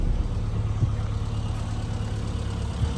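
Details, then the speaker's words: 1997 Rover Mini Cooper 1.3i, fuel-injected Japan-spec, heard at the rear while idling: low steady even idle, no knocks, misses or ticks; idling perfectly, normal. "And as you can see, you can hear idling perfectly."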